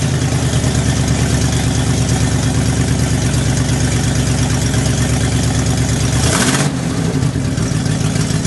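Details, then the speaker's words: 1975 International 200 3/4-ton 4x4 pickup, cold start at about 35°F: loud raw uneven idle with deep blatting unmuffled note; exhaust virtually gone, falling away from the manifold. Exhaust leak. "what you could hear when we started it up the truck has a virtually no exhaust left on it uh what is there is falling away from the manifold so the exhaust is completely unusable"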